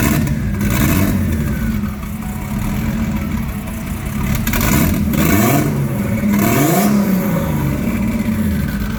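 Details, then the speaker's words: Engine of a turbo drift car with a blown head gasket (or possibly rings), after overheating; coolant wanting to boil, though a pressure test held. Rough, uneven revving with a clattery, stumbling note as it rises and falls. "Because she even sounds like shit. Listen to this. That's not good."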